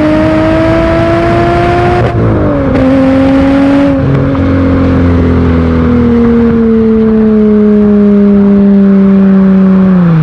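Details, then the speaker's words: Aston Martin DB7 V12 after two-year rescue following years of storage: smooth, clean rising howl accelerating into the red zone, steps down at a gear change, then eases off; healthy, no knock or rattle. "मैं आपको यह दिखाने की कोशिश करूंगा कि एक अच्छा त्वरण क्या महसूस करता है लाल क्षेत्र में त्वरण"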